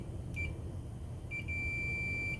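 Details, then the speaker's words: Multimeter on continuity with its leads touched together, before testing a Samsung dryer heating element: a brief high beep, then a steady beep about a second long; normal continuity beep. "you can see it makes a beeping sound and that just means that there's electricity running through these"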